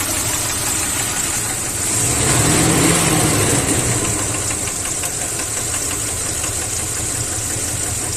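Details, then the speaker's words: Engine with blue exhaust smoke, at idle before teardown: a light, regular hollow knock over the idle; piston slap from excessive piston and cylinder wear letting the pistons rock, so the engine needed a rebuild. "Por esa razón eh tenía un pequeño ruido no en el motor no sé si han podido evidenciar en el momento de funcionamiento un pequeño golpeteo y eso ocasionaba estos pistones"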